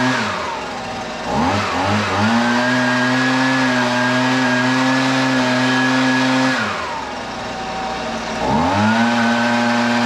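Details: Husqvarna 125BV leaf blower two-stroke after carburetor replacement (previously wouldn't prime or start): sharp buzz revs cleanly, holds steady high pitch, drops and picks up without stumbling; best in a while, may need slight adjustment; normal running.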